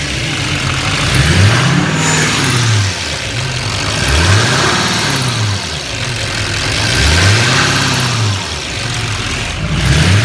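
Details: 6.6L LML Duramax diesel revved in repeated swells; a thin high chirp rides on top as rpm climbs and fades as it drops; chirp source unknown.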